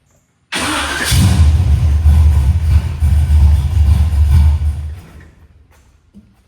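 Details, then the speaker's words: Car with a 750 carburetor just bolted on and idle mixture adjusted, fuel primed; starts on first hit of the key into steady, even fast idle, no misses; curb idle a little too low. "It's ready. It's ready. Just fast idle. The curb idle a little too low."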